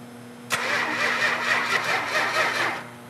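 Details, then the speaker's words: A 440 engine: the starter cranks steadily with the fuel shut off, showing even compression pulses, but the engine never catches. Crank, no start from no spark, caused by a faulty coil. "okay let the battery charge it for a second shut the fuel off crank it over yeah we got no this spark"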